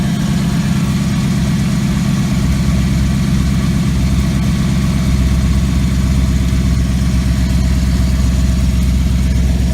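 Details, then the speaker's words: 2014 Maserati GranTurismo, engine cold after sitting overnight: smooth, steady low idle with an even beat and no tapping. The noise around the transmission shows only when the engine is completely warm. "so I have the car sit overnight so now the engines completely cold and when the vehicles cold you don't notice that sound so the issue seems to be only when the engine is completely warm"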